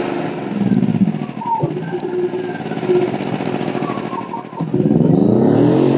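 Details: WEN 2000-watt inverter generator, about a year old, in for a warranty no-start; the fix was clearing a clogged spark arrestor, not a valve adjustment. After repair the small engine runs steady and even under light load, no surging or misfire.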